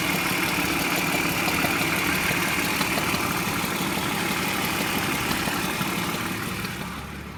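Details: BMW E46 323i, built 04/1999, M52B25TU inline-six at idle after new oil, hydraulic lifters, complete VANOS unit with seals and anti-rattle kit, spark plugs, coils and BMW chain tensioners: fast light metallic chatter about three beats a second; rattle source unclear.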